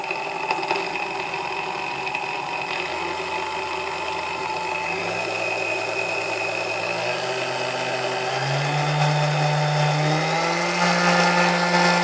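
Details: Vintage Sunbeam Mixmaster Model 12, lightly used, after service and cleaning (noisy before): motor hum climbs smoothly in pitch as speed is stepped up, no grinding or rattle; runs nice and smooth.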